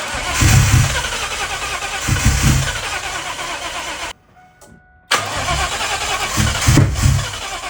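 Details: Cobra V8 not run in two years, battery about 12.1 volts: starter cranks in long bursts, three to four pulses a second, never firing; no power at the coil pack, no spark.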